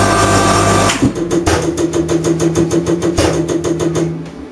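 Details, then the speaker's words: Common rail injector on a calibration test bench, adjusted to inject more quantity while its timing is set: quick, steady ticking about three a second over a low hum that deepens as the rig works harder. "I'm not sure if you got here or not but I'm just adjusting theor now you'll hear the the the equipment work harder as it's actually injecting more quantity"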